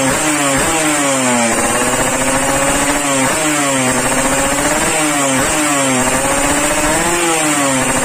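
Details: Yamaha RX King two-stroke, warmed up after daily carburetor tuning, exhaust test: crisp blips rising and falling cleanly about once a second, revving freely with no misfire or bog. This is a healthy engine.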